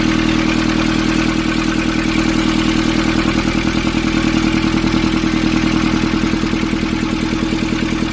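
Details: 2015 Nissan Urvan ZD30 diesel after its no-start was fixed by cleaning a black, dirt-clogged part: steady, even diesel clatter at about 200 beats a minute with no misses or hunting; a healthy, smooth idle.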